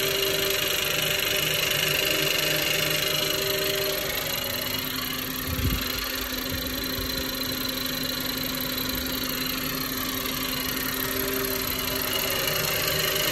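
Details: Ford FG Falcon engine, warm idle: light, even lifter-like tick about three to four per second that seems to come from lower in the engine, below the valve train; it only starts once the engine has heated up.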